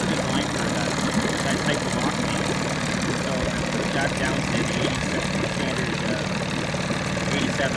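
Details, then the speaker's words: 1987 Johnson 9.9hp two-stroke outboard test run after replacing crank seals and spark plugs and tuning the carb: steady even burble at low idle, no misses or knocks, very little smoke, good compression; normal idle. "Start it up. Really idles down nice. Very clean. Very little smoke. Still has really good compression."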